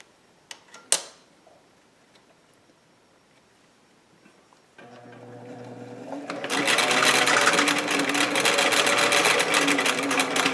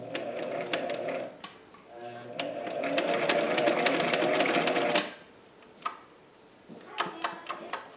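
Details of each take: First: Singer 457 sewing machine after lubrication, maintenance and needle timing adjustment: quick even stitching chatter about four stitches a second, no knocking or catching; speed improved, stitching tighter, running smooth and free. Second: Singer 457 sewing machine before cleaning and oiling: stitching clatter starts slowly and builds only to about four stitches a second at full pedal, sluggish and not reaching peak speed; owner suspects lint or friction in moving parts.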